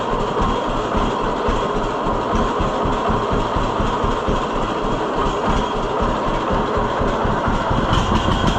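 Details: 1948 John Deere B two-cylinder after Wico X magneto work: slow, steady chuffing at a low even idle without skips, lower than before; formerly would fire on only one cylinder for a bit; normal low idle.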